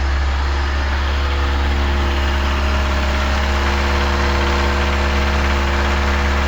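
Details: Engine at steady idle: light, fast ticking from under the valve cover; oil pressure loss leaves oil not reaching the top, wearing a small valvetrain part; valve train tick.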